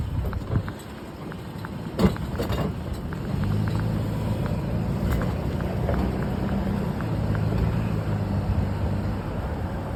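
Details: Toyota pickup driving: occasional sharp suspension clunks over the low steady rumble; began as a small click and worsened into this clunk.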